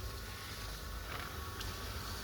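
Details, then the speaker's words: Webasto parking heater on Audi A8 after fixing the thermal sensor contact: soft, steady low rumble with a faint fan whir and coolant pump, some smoke, stepping up to the next speed, no pops or misfire; normal start-up. "We can hear Webasto. I can hear the pump, the coolant agent, some smoke, and it's starting to push the coolant through the system, and now it started to kick in the next speed."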